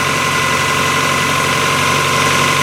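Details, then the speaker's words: 2000 Toyota Camry 4-cylinder, high mileage, just after exhaust flex pipe repair, cold start: steady even idle, exhaust much quieter than before with no leak roar, light rattly chatter from worn parts; no check engine light. "It runs. Nowhere near as loud as it was. We're just hearing all sorts of weird sounds from everything being worn out."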